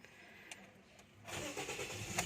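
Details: 2014 Toyota Vios after its hard-starting problem was repaired: quiet, then the engine catches promptly and settles into an even idle without long cranking, a normal start.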